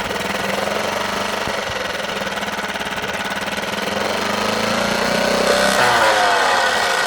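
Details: Suzuki DF6 small outboard running: a rapid, regular hammering clatter over the motor, speed rising near the end; abnormal running noise.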